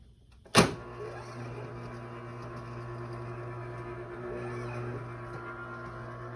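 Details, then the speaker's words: Garage door opener after fixing the motor's start capacitor, which caused a start delay: sharp click then immediate steady low motor hum as the door travels, slightly rough; no delay now, normal operation. "It turns out it was. There is no longer a delay when you press the button."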